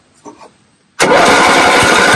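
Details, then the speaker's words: Toro 8-32 riding lawn mower engine with low compression of about 55–60 psi and a carburetor pouring fuel; starter whirs hard with uneven chuffs but it never runs; cranks but won't start, leaking carburetor. "compression was about 60 55 PSI which is still pretty low and we leaking fuel so this carb is no good"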